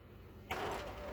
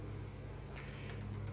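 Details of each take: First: M602 printer warming up with a known-good toner cartridge moved from a working unit: abrupt odd whirring tone and rattle during warm-up, which usually precedes a jam at the cartridge; cause unconfirmed. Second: HP M602 laser printer, known-good machine with a test cartridge: soft clicks and ticks during warm-up then steady whirring rush as page feeds; normal healthy operation, prints fine.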